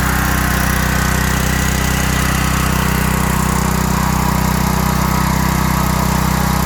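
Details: 5000-watt Briggs and Stratton generator with five hours run-time, after a no-start repair: stuck choke freed, Huayi carb cleaned, gummed float needle valve cleaned and its spring replaced. Steady, even drone at constant speed with no surging, hunting or misses; normal running.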